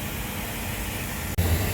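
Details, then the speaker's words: Mitsubishi split AC outdoor unit after broken fan motor stand was welded and refitted: smooth even fan rush over low motor hum, no rattle or vibration; motors running normally after repair. "Motor भी हमारा दोनों normal चल रहा है और कोई भी unit में साउंड नहीं है।"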